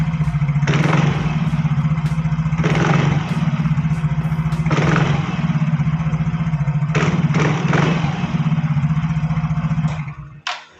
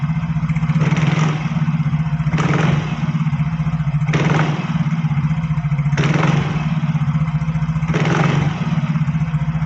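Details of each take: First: Yamaha Fino automatic scooter with take-off judder: steady idle, then each throttle blip brings a rough, gravelly rattle from the CVT area; suspected worn CVT parts such as pulley slider, bushing, case or secondary pulley bearing, unconfirmed. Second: Yamaha Fino scooter CVT after repair, idling with crisp throttle blips: the earlier crackling "kretek-kretek" rattle from the belt drive is gone and the CVT sounds healthy.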